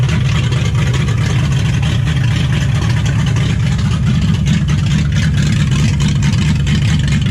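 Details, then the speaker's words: 1955 Chevy at its first start in 16 years, on an unfamiliar carburettor, before timing or idle adjustment: a low, lumpy idle with uneven stumbles and no steady beat; it runs rough, cause not yet known. "all right so at this point we're getting the timing light ready we're gonna try to time it and trying to figure out how to haidle this thing down because this corporator is not one that I'm familiar with and someone made my father has lost paperwork so it runs like ass"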